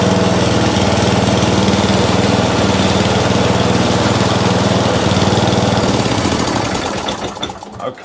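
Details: Atco Balmoral mower bought as spares or repair for not starting, running on throttle: the small single-cylinder engine beats evenly with no misfires for about six seconds, then is shut off; healthy.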